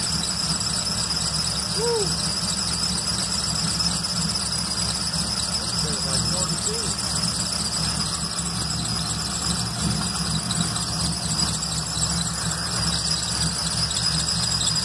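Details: Small-block Chevy 350 V8 first fired after reinstalling a loose distributor and rewiring the plugs, before timing adjustment: idles with a steady high-pitched squeal constant with engine speed; cause not pinned down.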